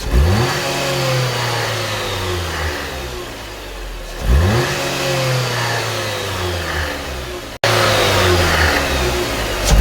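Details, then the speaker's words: Jeep Compass petrol engine blipped up and back down: a loose metallic rattle, diagnosed as the timing chain before its replacement. "Now I can hear the rattling."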